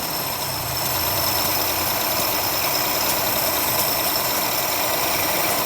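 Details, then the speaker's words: Daihatsu Ceria carburetor being adjusted after cleaning the idle jet with carb cleaner: even, settled idle with no stumbling or misses, strong intake suction; carburetor idling properly. "Ini hisapannya juga kuat. Sudah agak ada suaranya."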